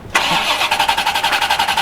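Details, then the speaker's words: C4 Corvette cold start on pickup from the shop: brief crank, immediate catch and a quick, even pulsing idle with no stumble; healthy cold start. "ohoh sounds good it would have been real funny if it didn't start there"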